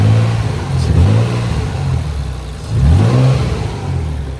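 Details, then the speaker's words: Nissan 300ZX twin turbo that has been sitting a long time, after shifter bracket mod and fuel filter relocation: deep, even rumble with a couple of quick throttle blips that settle straight back; idle is good, with some ticking present. "could just be cuz it's been sitting for so long but the idle is good idle's perfect"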